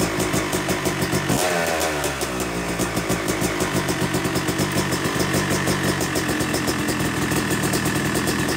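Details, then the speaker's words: Yamaha YZ250 two-stroke (250cc/270cc) freshly rebuilt engine, second start after cooling, warming to about 100–125 degrees during break-in: crisp ringing idle settling after start, gentle throttle blips, runs evenly; normal idle. "all right we've let it cool down now and we're gonna fire it up again and let it warm up to about 100 degrees 125 degrees or so"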